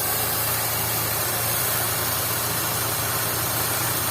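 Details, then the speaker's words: Daewoo petrol engine, arrived from a mechanic with a misfire: uneven stumbling idle under a steady hiss; a vacuum leak (found by spraying water) draws extra air into the manifold, causing the misfire. "جايه من عند ميكانيكي في برجله في المكنه ماشي في برجله في صوت المحرك تمام تمام تمام"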